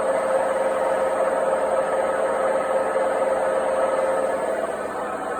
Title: Noisy failed washing machine bearings part 3